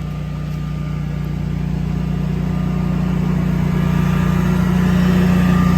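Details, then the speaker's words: 24kW Generac standby generator started during a power outage in hot weather: steady, even engine drone with a smooth low hum, no knocks or misses; running normally. "apparently the power just went out let's see if the generator was worth all that aggravation I think so cuz I hear it"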